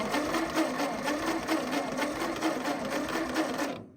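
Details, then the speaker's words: Ford 8N tractor cranking with non-original spare spark plugs, plugs grounded and spark confirmed: steady brisk starter cranking that never fires; no-start, apparently because there is essentially no gas in it. "Boy, if we had a dribble of gas in it."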